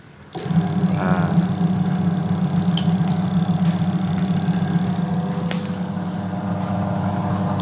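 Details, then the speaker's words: Single-tub automatic washing machine converted to manual control, tested on spin/dry: motor holds a steady low hum with light rhythmic chatter and no rising spin; the pulsator turns instead because the control is miswired. "cuma pulsatornya teman-temannya Berarti ini salah ya teman-teman"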